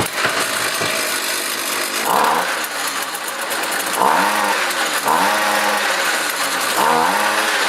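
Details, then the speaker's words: Jiffy ice auger, Tecumseh 2-cycle engine, after throttle mechanism repair (throttle part and spring replaced): buzzy small two-stroke blips up and settles repeatedly, pitch rising and falling cleanly; governed so it doesn't over-rev. Throttle working, normal running. "what I'm going to do now is start it up to make sure that there is some throttle action there when it's"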